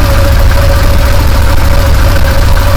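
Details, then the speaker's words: 2015 Massimo Militia 1000 UTV idling, stator output about 22 V AC and judged fine: charging load on batteries drags idle down, uneven labouring pulse; owner suspects batteries going bad and not charging. "Okay, you hear it rev up, and that load that pulls so much voltage from that motor, drops that idle, and makes it struggle."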